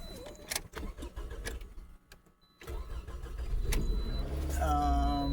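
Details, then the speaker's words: 2008 Scion xB, Toyota engine, 270,000 miles, slight oil leak, O2-sensor check engine and traction lights on; some clatter, a short crank, then it catches cleanly into a steady idle. Normal start. "But the motor sounds good."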